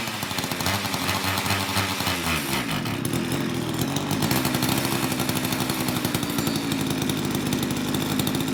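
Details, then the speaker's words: Old Craftsman two-stroke chainsaw after long storage with a gunked carburetor, cold in a shop of high 50s to low 60s °F, mixture screws untouched; drops off a rev to a steady crisp idle without stalling, good compression. "it's idling well it's really cold in my shop right now I'm probably low 60s high 50s so it's it's going to take a little bit of time to warm it up but it's running fantastic I mean it appears to have excellent compression it's got a good throaty pop"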